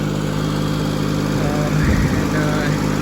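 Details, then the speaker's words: Skyjack scissor lift with a three-cylinder Kubota engine, after the misfire fix (a spark plug was arcing and it had been dying when moved). A steady, even low idle with no stumble while warming up; it now sounds really good. "seem to fix it because it sounds really good now it doesn't sound like it's like running like"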